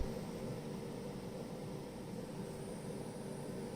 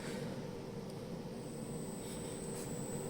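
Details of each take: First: Milwaukee M12 charger after snubber circuit fix (resistor changed from 68k to 100k), transformer rework having failed; now almost silent with faint hum, still drawing 40 W: normal quiet charger operation. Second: Milwaukee M12 battery charger: steady low buzzing hum with a thin high whine, still present after transformer disassembly; traced to a poorly damped snubber circuit, and after modifying it the charger is nearly silent at the same 40 W draw.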